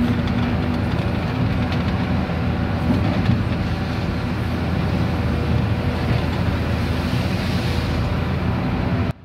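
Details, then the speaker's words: Volvo EC480D excavator diesel operating after filter change: steady, even drone holds speed throughout under load with no sag toward idle, reaching needed RPM; fault of RPM falling to idle after 10–20 seconds solved. "viewers you can see the our machine is operating and it's getting the RPM as much as he needed so it means our problem has solved"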